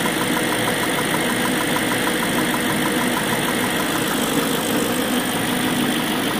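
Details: BMW M62B44TU V8 at idle before the chain tensioner was replaced: loud, busy metallic clatter over the idle without letting up, timing chain rattle from a worn tensioner, later replaced with an aftermarket INA part.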